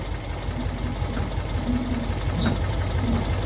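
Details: 1992-ish Cushman Truckster from a field, first run after revival: small single-cylinder petrol engine at a steady, slightly loping idle with even thumping; normal idle, kill apparently not hooked up so it ran until out of fuel.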